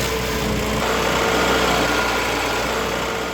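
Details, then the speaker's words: 1972 MG Midget 1275 four-cylinder at steady, even idle with a light, regular beat and no rattle standing out, after replacing missing and worn throttle return springs near the heat shield to cure an engine-bay rattle; normal idle. "Now let's listen to the engine, now that the new springs are installed and all that gubbins has been done."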